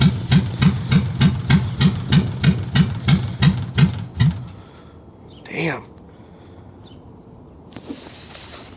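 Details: Dodge Ram truck cold start in cold weather: about three heavy, uneven chuffs a second for four seconds, then dies away; cranking sounds good but engine runs rough. Cause not identified.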